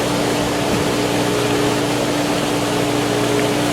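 Steady pump hum with rushing water and an uneven gurgle underneath, the booster still working trapped air out of the line. Cause suspected, not confirmed.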